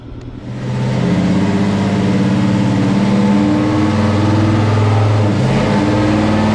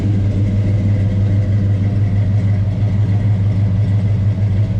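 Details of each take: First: Chevelle with an unrebuilt 402 big-block V8 on the dyno. It pulls hard and climbs, then flattens and holds at one pitch, refusing to rev past 5,200 rpm; cause not identified. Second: Chevelle with unrebuilt 402 big-block, on dyno for tune: deep loping idle with steady rhythmic chop about three beats a second; healthy engine with lumpy performance cam.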